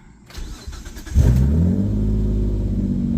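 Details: Engine after random misfire (P0300) diagnosis and repair, reassembled: starter whirr, catch and brief flare, then steady even idle with no stumble or missing beats; engine running clean.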